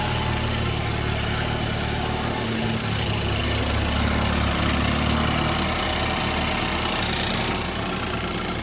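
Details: BMW F30, first startup after new front-end parts and intercooler install; settles into an even, steady idle with a constant hum and no misses, knocks or rattles; normal idle.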